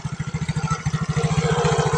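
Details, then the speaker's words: Yamaha Mio scooter CVT after regreasing the pulley rollers: engine pulsing evenly while revved against the brake, rising slightly; the earlier harsh squeaking from the roller area is gone, no grinding or rattle, sounds healthy. "Oke teman-teman, setelah itu kita coba ngegas sambil ngerem. Ternyata nggak ada bunyi-bunyian kayak tadi pertama ya teman-teman."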